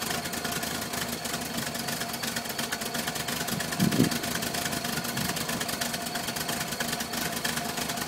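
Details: 1978 VW Westfalia bus, air-cooled flat-four: uneven, lumpy idle with a brief surge midway that sounds close to stalling; the bus idles rough and stalls.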